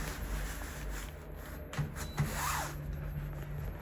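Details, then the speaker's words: Floatwheel ADV2 hub motor, board lifted so the wheel spins free, after first ride: low steady hum with faint rubbing underneath; grinding still present but very low, considerably quieter than the ADV1. "Sounds very low. It's not grounding like the one before. It's still there, but very low."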